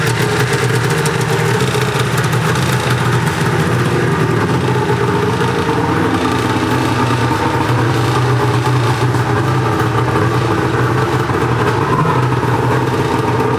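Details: Arctic Cat two-stroke snowmobile after a temporary throttle positioning switch fix (previously shut off when throttle squeezed), pull-started with choke: steady, even idle with a deep, constant burble and no surging or dropouts; runs healthy.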